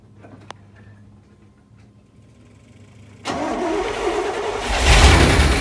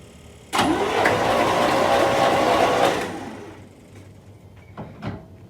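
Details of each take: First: 1979 Corvette C3, L82 V8, 4-speed manual, sat 20 years, first start on starting fluid and 20-year-old gas, transmission fluid in cylinders: sudden catch then ragged, uneven running with unsteady revs and heavy smoke; carburetor rebuild expected to fix idle. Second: 1979 Corvette C3 L82 engine, sat 20 years, spark plugs out and ignition disconnected, cranked to pump transmission fluid out of the cylinders: starter spins the engine fast and even for about two seconds, no binding; turns freely.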